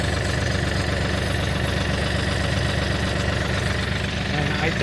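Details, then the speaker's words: Kioti NX6010 tractor hydrostatic transmission after hydro filter housing change and clear suction line fitted, mic held close: steady idle with hollow whine and faint rattle over the diesel; bubbles visible at the top, air ingress problem returning. "okay and then here I'm gonna get real close so you guys hear it but here is where I can hear that the problem is definitely back"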